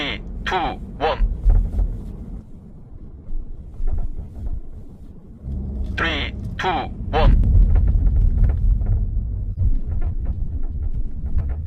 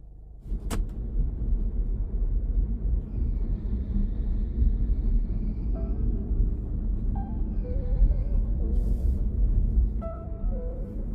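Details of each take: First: Quick, uneven tapping rattle from the rear seatback latch over rough roads and speed bumps. The seatback hooks to a body latch with no recline adjustment, as on the Sportage R, Tucson ix, QM6 and Ray. A gap between latch and hook causes the rattle. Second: Interior of a moving car (Sportage R, Tucson ix, QM6 or Ray type with hook-mounted rear seats) after the rear seat mounts were wrapped about five turns with sound-absorbing tape: steady low road rumble, and the earlier seat rattle over rough sections is gone.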